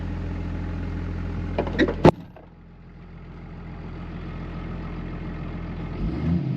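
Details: 2005 Ram 2500 diesel after FASS lift pump and fuel line replacement: steady low idle, then a short burst and a clunk as it settles and shuts down; smooth, even run, no knock, oil pressure good, normal idle.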